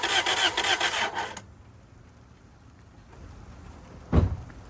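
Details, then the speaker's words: 2003 Toyota Celica GT that sat about three years, oil topped up, on its first start attempt: the starter spins the engine steadily for about 1.5 seconds, it never catches and goes quiet. They suspect no fuel, possibly a bad fuel pump. "The answer is no, it doesn't start yet. Sound like it wanted to for a split second. Yeah, I heard I don't that. think it's getting fuel."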